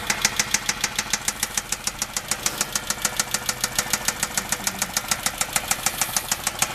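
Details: 2007 Dodge Charger 3.5 engine: sharp, even ticking about three a second over rough running; top-end knock suspected, and the transmission runs as if low on fluid.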